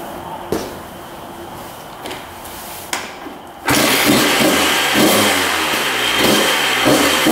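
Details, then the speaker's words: 1994 Honda CR125 two-stroke after the repair, now with zero leaking at the cylinder: kick start, then a crackling idle with sharp, clean throttle blips and no bogging. Throttle response is much better and it seems fixed. "good all right that sounds much better you can see the Thal response is much better so I think this one's fixed"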